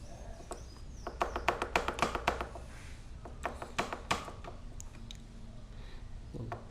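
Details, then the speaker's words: Honda Pop 100 with a customer complaint of a clunk when the front brake is applied. Sharp, uneven clunks each time the brake bites. The loose wedge holding the brake backing plate is the cause, and the fix is to fit a shim. "cliente reclamou e quando aperta o freio dianteiro ela faz um barulho aí tipo uma pancada esse aqui ó"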